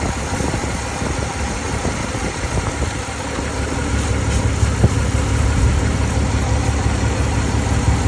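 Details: 2003 Chevy Silverado V8 at idle: a loud, irregular, skipping exhaust beat from a bad misfire. Water was found on a spark plug; the cause is not confirmed.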